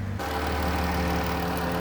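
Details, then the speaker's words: 2013 Dodge Caravan SE mobility van, 3.6 V6, 166k miles, no check engine light, hood open: even, steady idle with constant low drone, no knocks, ticks or surging; idles smoothly. "the hood has a 3.6 v6 engine it idles smoothly everything sounds good"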